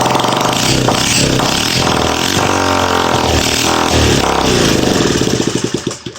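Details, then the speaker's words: 1971 Honda SL70 single-cylinder after new coil, valve adjustment and timing check, carburetor not yet sorted: putters and revs unevenly for several seconds, then winds down and stops; engine fires and runs. "I tell you it runs that's pretty cool and"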